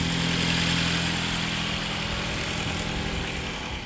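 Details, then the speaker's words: Jeep Patriot engine just started, at idle: a faint rapid ticking puff over the engine note, a small exhaust leak, probably at the gasket. "Small exhaust leak. Probably on the gasket."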